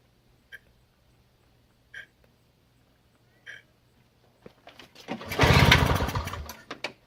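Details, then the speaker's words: Free Toro CCR 2000 snowblower, thought to be from the 1990s, Suzuki 4.5hp two-stroke, Mikuni carb, old 50:1 fuel mix, primed with choke out: spaced pull-start thumps then rough cranking that never catches; smoke suggests spark, owner fears flooding. "Well, the choke is out. I hope I'm not flooding with all this priming. But there's smoke coming out, so it looks like there's spark."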